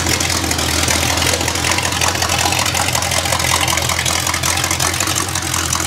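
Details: Rebuilt Small Block Chevy engine for a 1974 Corvette, already broken in, idling on a portable engine test stand with oil pressure and temperature gauges. It is a loud, steady, even V8 rumble with no knock or miss, resonating in the shop. Normal idle.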